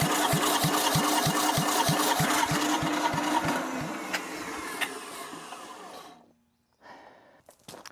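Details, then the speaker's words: Abandoned diesel compactor that ran when parked, with degraded O-rings: the starter cranks steadily at about three compressions a second but it never fires, then winds down; a fuel pump problem is suspected. "something going on with that fuel pump there. It's just not it's not doing what it's supposed to do."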